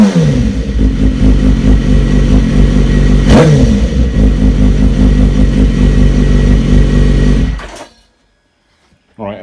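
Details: BMW S1000RR inline-four just after fitting a decat link pipe: loud raspy revving rising and falling smoothly before shutting off; noisier, free-flowing exhaust, engine running normally.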